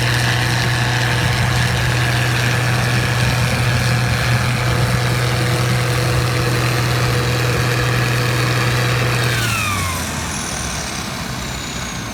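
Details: 1688 combine harvesting wheat in 2020: a steady heavy engine drone with a thin whine on top that drops away as revs ease off; an abnormal running noise of unknown source.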